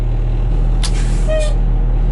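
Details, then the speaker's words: 1986 Ford dump truck, 36 years old, revived and first started after sitting: steady, even diesel rumble with no knocks or misses, short air hiss from brake system; starts easily. Normal idle. "all right let's see if this girl well that started too easy at all wow she runs good though"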